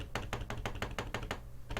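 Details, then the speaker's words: HHKB Professional 2 Topre keyboard: quick hollow plastic clacks, about six a second, as the slightly warped ABS case rocks on the desk; the shell also flexes and creaks. "you can hear that that's because the case is actually slightly walked it's not much that you can really do about it because that's just the way that the ABS shell is"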